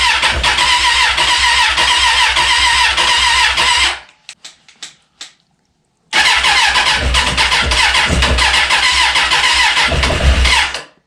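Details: 2004 Suzuki Katana, sitting over a year, first start on a temporary fuel tank: fires, cuts out with a few sputters, restarts and holds a steady, even idle; runs, later oil leak at oil cooler fitting.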